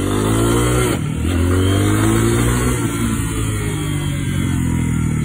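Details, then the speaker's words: New fuel-injected Lifan KPX 250 single-cylinder enduro that stalled at idle and on quick acceleration, after turning the throttle position sensor clockwise: revs through a quick speed shift and pulls away smoothly without stumbling. "he seems to be taking off pretty good now readjusted it it's only a 250."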